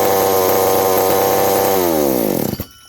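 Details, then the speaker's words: McCulloch 790 (MC101) chainsaw with new 090 carburetor, muffler loosening from broken bolt: high scream sags over about a second, sputters and dies under load; owner suspects fuel or an intake gasket vacuum leak, unconfirmed. "Acting like it's fuel now. Yet again. I don't know."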